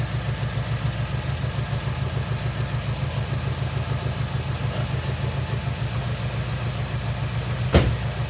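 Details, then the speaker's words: 1979 Porsche 924, first start after sitting untouched a few years: low uneven stumbling idle with a miss, almost diesel-like, barely staying running; needs a tune-up, no coolant and coolant leaking. Rough idle, cause suspected. "I mean she's got a miss and she needs a tune-up. It's going to die, but it lives. Almost sounds like a diesel."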